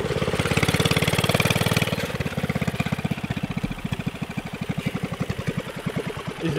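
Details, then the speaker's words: Subaru Robin 9 hp single on a Yerf Dog off-road go-kart, on choke while warming up: uneven thumping that stumbles as revs sag, a rough, sputtering idle; owner suspects it is running lean. "so it's spinning and sputtering acting like it's a lean"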